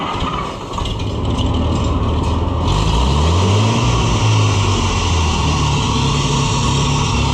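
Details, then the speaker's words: Oliver tractor with a carburetor whose idle needle keeps vibrating loose: on restart, a low engine rumble with a wavering whine rising and falling for several seconds, a loose, slipping drive belt. "Ah, belt noise, bad. That doing that now? That's loose."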